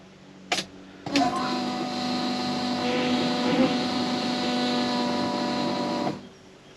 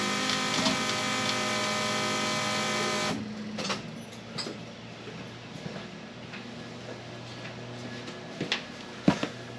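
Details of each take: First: 1979 Camaro fuel pump, key on only: a steady high whine for about five seconds, then cuts off; much louder than another car's pump; owner suspects it was faulty from the factory. Loud fuel pump whine. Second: Trans Am fuel pump compared against the 1979 Camaro's loud one: with key on a soft, steady hum runs about three seconds then cuts off cleanly; quiet, healthy fuel pump prime.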